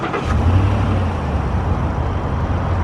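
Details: 2014 Ford SVT Raptor, about 159,000 miles, after replacing both idler pulleys and power steering pump: deep steady idle right after start-up, no whine or chirp from belt pulleys; sounds good.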